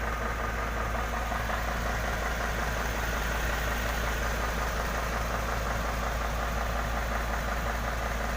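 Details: Isuzu dump truck that wouldn't start because of a burnt wire problem: steady, even diesel idle with a constant low rumble and no misses or knocks; runs normally.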